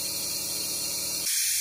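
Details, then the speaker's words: BMW N20 2.0T turbo engine under a compressor-fed boost leak test: a sharp, steady air hiss that gets louder and brighter as the charge pipe is moved, indicating a boost leak at the charge pipe joint; a failing O-ring is suspected. "there's an o-ring in here I think the O-ring is failing"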